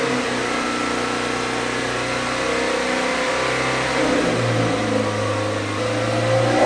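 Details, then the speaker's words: Toyota MR2 engine with misfire, running smoky after swapping in a coil pack from another car: steady note that swells and sags unevenly with revs; misfire light gone but still rough, cause unconfirmed. "it's still definitely very smoky the misfire engine light's gone I think the code gone from the ECU yeah she's not good"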